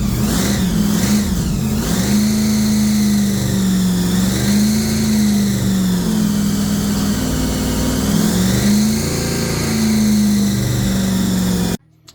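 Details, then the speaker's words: 3rd Gen IROC Z28 Camaro, blown 383 stroker with two Holley four-barrels, after new cam and lifters; V8 held on throttle with revs rising and falling, then dies abruptly when pedal released; carb idle set too low. "All right, well, we did get her fired up and she's running, but I guess the carburetors are idled down so low, the plates, that whenever he lets off the pedal, it just cuts off."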